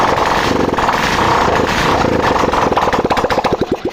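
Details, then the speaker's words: 2018 Glamour bike after fixing a severe starting problem by fitting a replacement carburetor and changing a wire: self-starter pressed, engine fires cleanly and settles into a fast, even beat before dropping off; normal start and idle, starting problem solved. "गाड़ी का self दबाते हैं starting problem दूर हो चुकी है"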